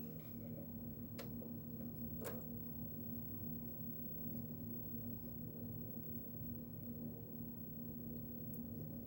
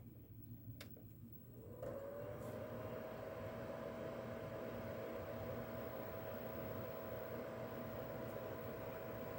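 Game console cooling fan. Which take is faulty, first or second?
second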